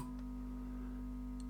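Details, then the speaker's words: Late-1960s East German Vermona MV3 guitar tube amp under restoration, fed 2 V RMS test signal; loud steady low hum with buzzy tone, persisting with signal off; mains hum from the amp's power supply. "This thing is being fed 2 molts RMS and um the hum is very loud."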